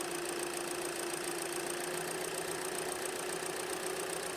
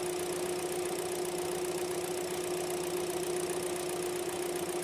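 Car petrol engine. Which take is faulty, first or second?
second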